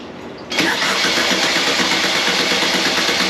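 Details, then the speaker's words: Air-cooled 1600cc VW Beetle engine, candidate for a 1974 VW bus, test-run without exhaust or headers: catches and runs steady, loud and raw, no knocking; good running engine. "I didn't hear any knocking anything like that sounds freaking good well just like no exhaust or no headers or anything like that but looks uh looks like we've got a good running engine"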